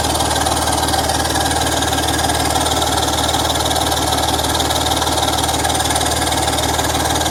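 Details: BMW M54 engine at steady idle with a quick, even puffing tick about two per second riding over it; exhaust leak.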